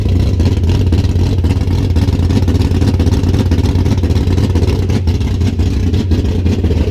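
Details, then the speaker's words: 1973 Duster engine first startup and idle after reinstalling resurfaced heads: steady, even low rumble with regular pulse, no knocks or ticks; sounds good, small valve cover gasket leak to tighten, owner hopes no more water in the oil. "Well, that's the startup on the 73. Got a small leak right there. Got to tighten up that valve cover gasket. But it sounds good."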